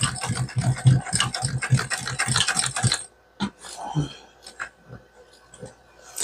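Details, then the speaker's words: Singer 291U1 sewing machine top-stitching thick denim layers of a crossbody bag: quick stitching thumps about three to four per second, then abrupt stop with scattered clicks as it bogs and seizes at the thickest part; unsure if pedal pressure or machine. "Yeah, it seized up"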